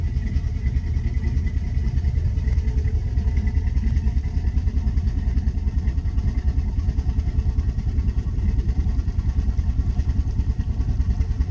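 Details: Twin-engine boat at 700 rpm idle after the starboard starter repair: low, steady burble with even pulses, no knock or miss; water fills the pipe and flows out as normal, engine idling smoothly and healthy.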